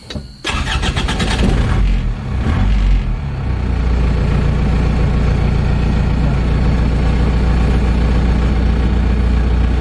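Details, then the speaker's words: 2000 Panther pick-up, manual, diesel: cranks briefly, catches and settles to a steady, very smooth idle with no knocks or misses; normal start. "Nah, ini bener-bener masih halus ya teman-teman. Masih halus banget."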